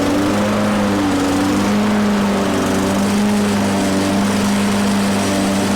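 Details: 21-inch Toro mower that wouldn't start, after carburetor cleaning (needle, float, emulsion tube): the engine now runs but its pitch steps up and down every second or so, governor hunting; an unexplained rattle was also heard; cause not confirmed.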